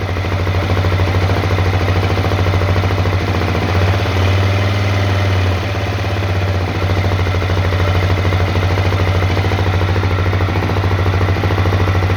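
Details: Honda CRF250L single-cylinder at idle: steady low thump with a faint regular tapping riding on it; engine knock, source unclear.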